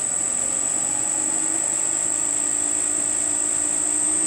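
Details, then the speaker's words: Circa-1940 Hercus lathe, spindle pulleys statically balanced after heavy vibration, run up through speeds to 1125 top with slight vibration at top; steady even hum with faint high whine, no thumping; normal spindle run. "top speed 1125 a little bit of vibration at the top space but no idea what it was"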